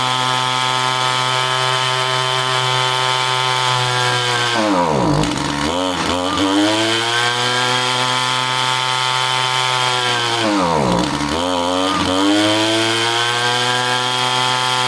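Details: Echo string trimmer two-stroke powerhead: high scream twice sags deeply in pitch and claws back when the fuel cap is loosened, wanting to die; starving for fuel.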